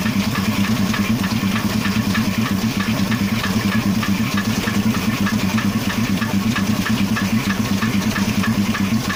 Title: Стук двигателя